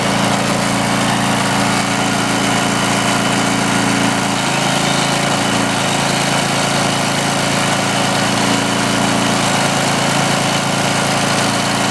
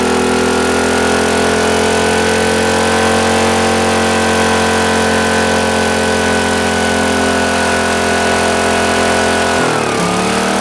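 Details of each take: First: Greenlee 5000 W generator bought at auction, missing its air breather, powering a drill: a steady, even engine drone holding speed without hunting or stumbling. It runs healthy under load and gives more power than a smaller generator. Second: Used Green Lee 5000 W generator bought at auction, missing air breather and kill switch, carburetor bowl just checked: steady high-pitched fast drone, briefly dipping near the end; runs but speed sounds too high, not confirmed.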